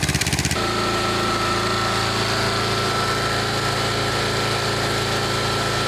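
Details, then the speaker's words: 1999 Snapper riding mower, 28-inch cut, 10 hp Briggs single, first run of season: after a short burst it settles into a slow, loping idle set too low; idle needs adjusting, possibly a different carb. "That's it. Really low idle. Hear it. That'll have to be for another day. We may even want a different carb for this thing."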